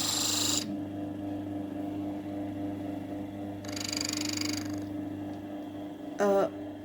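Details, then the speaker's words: Salzburg Amadea electric grain mill running empty: steady motor hum broken by harsh, hissing scrapes as the knob is turned toward fine and the grinding stones touch each other; must immediately turn back toward coarse. "the first thing you hear the sound of the grinding Stones touching FL off the engine now you hear the engine and now the stones touching"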